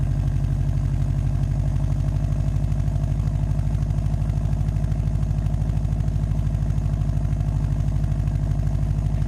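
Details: Subaru WRX turbo engine idling with a rough, puffing exhaust note and turbulence from a leaking downpipe flange joint, before a downpipe-to-cat-back flange adapter is fitted and test-driven to check the fix.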